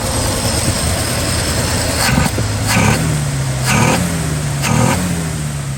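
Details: 1968 Chevrolet C10 inline six after new tune-up, exhaust downpipe refitted to manifold and exhaust leak fixes; smooth even idle with clean throttle blips that rise and drop back without stumbling, still noisier than the old small block; normal healthy idle.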